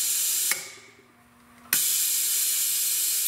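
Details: Rolair JC10 air compressor: loud steady hiss of escaping air cuts out for about a second, then rushes back; air bleeding off past a leaking check valve.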